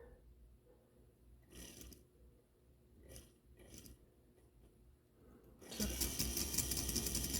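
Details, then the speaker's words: Life-Like Proto 1000/2000 model locomotive under power: the small motor whirs with fast, regular clicking, about two to three per second, as a cracked axle gear skips; in reverse it locks up. Gear skipping from cracked axle gear. "If you can hear that and see how this gear is jumping, and if I reverse it, it's actually just straight up locking up. Yeah. So this is the symptom that you should look out for."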